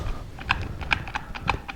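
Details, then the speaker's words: Ford Ranger front driveshaft, removed, about 338,000 miles, possibly original, caused vibration at 45-50 mph: loose dry clacking about twice a second turned by hand; worn, greaseless U-joint/rzeppa joint, replacement fixed it. "you can hear what's going on in there. I'd say it's pretty well spent. Nothing for grease inside. There we go. That thing's dry as a bone."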